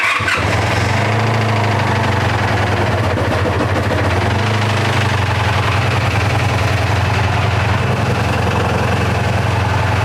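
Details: 1984 Honda VF500F Interceptor after carburetor rebuild and valve adjustment, key on with choke: brief crank, then catches at once and settles to an even, steady idle; starts healthy, carburetors no longer leaking.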